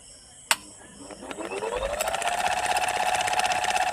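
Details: Ceiling fan spinning up, hum rising with a regular khat-khat tick about four times a second; bearing knock.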